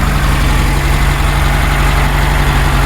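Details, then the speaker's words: 1966 Porsche 912 air-cooled flat-four, cold, centrifugal distributor, carbs not yet balanced: lumpy fast idle around 1200 rpm, running on two cylinders until the other two cut in; needs to warm up to run on all four. "right it's running on two right now and then you'll hear those the other two coming on and it was idling around 1200 RPM kind of high right now [Music]"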